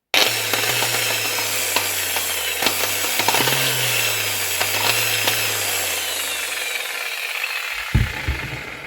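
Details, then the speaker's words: Angle grinder under repair: the motor hum "coughs and chokes", wavering and stuttering with rough crackles, then sags; a lead is found just tied to the winding, so an open winding connection. "кашляє задихається в чому причина"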